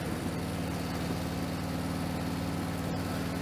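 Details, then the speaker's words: V-twin with a high-flow air intake upgrade: rhythmic swish from the intake pulsing with each firing over a loping idle; owner feared metal-on-metal, but dealer testing showed it is just airflow, normal intake noise. "causing that noise and I thought it was metal onm metal but no it's just the sound of the air going swish swish swish swish swish so false alarm"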